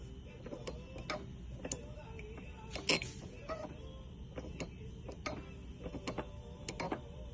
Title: BMW 328Xi E90,E9x broken front U joint from front drive shaft. Grunting noise, Squeaky noise.